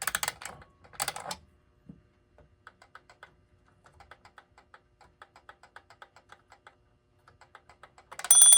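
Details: Antique German alarm clock (c. 1898–1902) before teardown, alarm dial set and hands advanced: light rapid ticking, then bright fast bell ring; alarm trips and rings normally.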